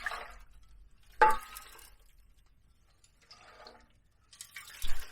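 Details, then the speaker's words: Honda Elite 150 Deluxe scooter fuel tank, removed during teardown, is tipped by hand: short scattered rattles as loose bits slide and tap inside. Rust debris in the tank, and the petcock is not flowing fuel; the tank needs cleaning. "you hear all those pieces sliding around in there that tank's definitely got a bunch of rust in it so i gotta get that cleaned out"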